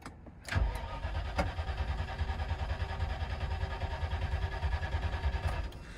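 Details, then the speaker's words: 1999 Land Rover Discovery II bought as a no-start, on a jump box with ether sprayed in and a battery believed very dead: the starter churns the engine steadily for about five seconds but it never fires; crank no start. "oof well that's a crank no start you still got all the blinking things there"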